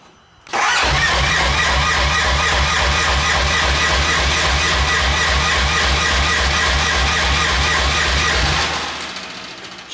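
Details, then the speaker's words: RS1 race car build, first start attempt after the fuel system was drained empty: about eight seconds of fast, even starter chugging with no firing; cranking with no start, fuel not yet reaching the engine. "it cranks yeah might take a second to get the fuel cycle through yeah she was empty empty we drained it"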